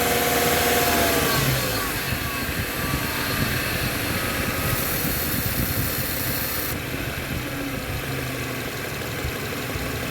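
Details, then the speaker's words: 2013 Subaru XV, 66,867 km, A/C cold but compressor noisy: idling engine with rough, steady rattling whir; noisy A/C compressor, replaced along with condenser and evaporator. "[เพลง]แอร์จะมีอาการเสียงดังแบบนี้นะคะ"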